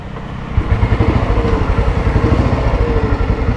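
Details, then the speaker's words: 1987 Royal Enfield Bullet fitted with a full-core silencer, idling: even, deep single-cylinder thump about nine beats a second, steady and unbroken; sound is fine, engine healthy. "ഇതിന്റെ sound കേൾക്കുന്നുണ്ടാവും കേട്ടോ കുഴപ്പമില്ലാത്ത sound ഉണ്ട് full core silencer ആണ് വെച്ചിക്കുന്നത്"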